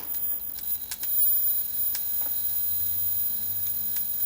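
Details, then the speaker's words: Philips CJ414 34 cm portable CRT TV running: sharp, irregular snaps and crackles over a faint high whistle from EHT arcing around the ultor cap, on a hot day; fix is sealing the cap. "Ooh yeah, I can hear that crackling. So that's definitely around the ultor cap there."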